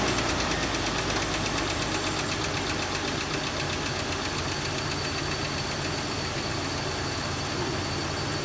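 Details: 2001 Jeep Cherokee XJ that ticks on cold start, with the owner suspecting a rear lifter: right after adding Engine Restore to the oil, a steady idle with a fast, light tick on top, no heavy knock or stumble.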